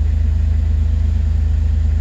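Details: 2006 Jeep Wrangler TJ, 4.0 straight-six, nearly 238,000 miles, idling after the codes were cleared following an oil pump drive and cam sensor replacement. Deep, steady idle with even low pulses and no knocks or ticks. Normal idle.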